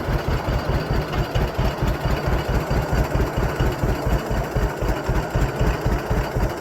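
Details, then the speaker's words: Circa-1956 John Deere 60 twin-cylinder tractor idled as low as it will go: slow, heavy, even chug of about two beats a second with no rattles on top; normal low idle. "that's about as low as I can get her to [Music] go"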